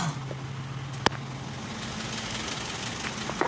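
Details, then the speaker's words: Isuzu 4HK1 truck (Reward), running after ECM relay replacement fixed no-start with flash code 56 (P0651); check engine light now off: steady low diesel hum, even pitch, a couple of stray clicks, smooth healthy idle. "so Ayan umaa na yan Wala na po yyung check engine"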